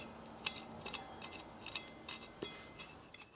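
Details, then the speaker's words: Old bench grinder motor during rebuild, bearing turned slowly by hand: dry irregular clicks suggesting worn motor bearing, other bearing makes the same noise, both likely bad (rotor also rubbing stator); suspected, to be replaced. "Esse ruído de clique é outro sinal de que esse rolamento está desgastado O outro rolamento está fazendo o mesmo barulho, muito provável que ambos sejam ruins"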